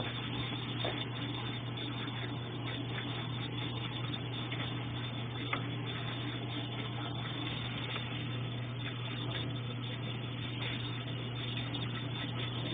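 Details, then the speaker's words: Consul Ideale 4 kg washing machine that washes but won't spin: steady low motor hum during spin cycle, drum turns weakly and never reaches proper spin speed. "Tá girando, só que ele gira com fraqueza."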